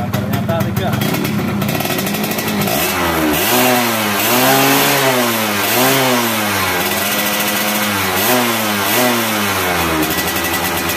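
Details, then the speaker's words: Yamaha F1ZR two-stroke that stuttered (brebet) when revved and kicked back on the kickstarter; owner suspected over-advanced ignition or a bad CDI. After fitting an original Yamaha CDI, revving gives a clean crackle that rises and falls smoothly with no stumble or misfire, no longer limited. "di gas itu terakhirnya nggak Brebes ya nggak kayak begem nggak kayak terbatas gitu ya ini Los"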